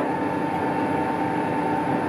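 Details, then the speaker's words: Colchester Triumph 2000 lathe without a steady, taking a 0.005 in skim on a long roller shaft: a steady high-pitched ring over a dull rumble. This is chatter from the workpiece flexing, and it persists even at tiny cut depths. "but you could hear foreign starts chattering so hard to get rid of it"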